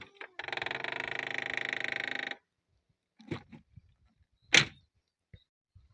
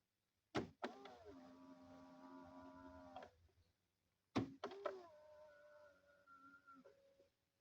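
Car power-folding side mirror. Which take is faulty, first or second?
first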